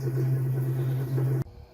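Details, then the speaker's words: Samsung washer: a steady low hum for about a second and a half, then it cuts out. It powers up, but no water flows in. Humming with no water fill. "so get my dark washer i'm turning on it's kind some noise but water isn't coming like usual"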